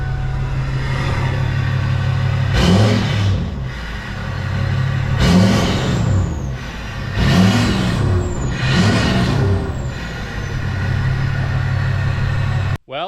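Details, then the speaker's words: Hummer H1 Duramax diesel restarted after first start in 2.5 years, old fuel, primed a couple times: settles into steady low rumble, then clean free revs rising and falling smoothly, no misses; normal start and revving. "2 and 1/2 years no start literally primed it just a couple times fired it up let me turn this off and I'll fire it back up for you"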